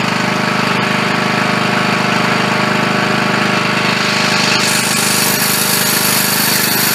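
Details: Bolens riding lawn mower that would not start, now running after its bad solenoid was replaced: the engine runs with a steady, regular beat and a hard mechanical chatter on top, holding speed evenly, so it is running normally again.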